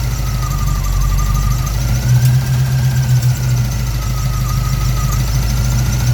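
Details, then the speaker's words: 1965 Pontiac Parisienne with rebuilt 283 Chevy V8, Turbo 350 transmission and Holley Sniper fuel injection, first run: deep V8 idle with faint light chatter on top and slow rise and fall, a surging idle; owner thinks it is just settings. "yeah okay if you can hear the chatter still here a little bit we are not too bad it's doing a little bit of a Sergio idle thing I think that's all just in our settings"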